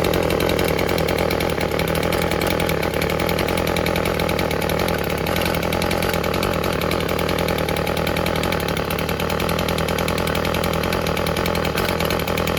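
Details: Old Stihl FS36 two-stroke string trimmer after its fouled plug was torched clean: steady buzzing idle, a touch burbly and soft rather than crisp. Owner suspects a slightly rich low-speed mixture, before adjusting the low-speed screw.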